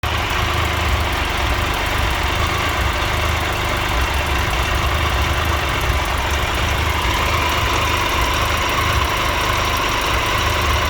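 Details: 2013 Triumph Tiger Explorer, 31,000 km, after dealer valve clearance check and adjustment: a steady idle with a light, fast ticking over the engine note, less than before. It is a small exhaust header leak rather than valve noise.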